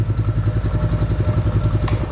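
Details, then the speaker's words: 1999 Arctic Cat 300 ATV that would only run briefly or on starting fluid, after fitting a new spark plug: steady, even single-cylinder thump with no misses; normal idle, bad plug was the cause. "even though it wanted to run off the starting fluid it was literally still a bad spark plug so go figure"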